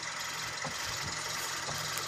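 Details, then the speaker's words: Kia Sportage front suspension, listened at right front wheel while someone turns the steering wheel (also when turning on the road): irregular dull clicks and thumps over a steady hum; strut top mount bearing suspected. "Şimdi bu sesimiz nedir direksiyonu çevirirken bu ses geliyor ve yolda giderken direksiyonu yine çevirdiğimiz zaman bu ses geliyor"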